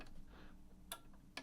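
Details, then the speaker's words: Sony HT-BE1 5.1 home theater amplifier on the bench: power button gives two sharp relay clicks on and off over a faint hum, but the unit doesn't power up or light the display; power goes no further than the relay. "if I press the power button on the top here it clicks but nothing happens"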